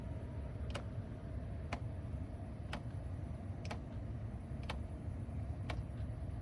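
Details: Mercedes CLK C209 / C-Class W203, 2004/06 with facelift interior: light, even tick about once a second from behind the dashboard over a quiet cabin hum. It persists after both footwell actuators were replaced; cause unconfirmed.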